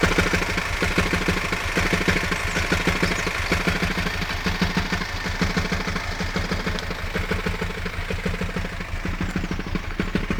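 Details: Hyundai ix35 at idle: rough, slightly uneven clatter about once a second over the hum; abnormal engine noise, cause undetermined.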